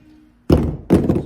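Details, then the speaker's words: Luna Cycle Apollo e-bike rear suspension: two sharp metallic clunks half a second apart as the rear is worked, play at the linkage pivot bolt, metal on metal with no bearings. "All right, so if you own an Apollo and you are hearing play in the linkage, it's almost guaranteed coming from this bolt right here."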